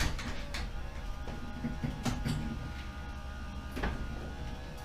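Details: Subaru Impreza boxer with SOHC heads, first start after rebuild and over two years not running: idle smoothed out and dropped, low even beat with occasional light clunk; check engine light on, running normally.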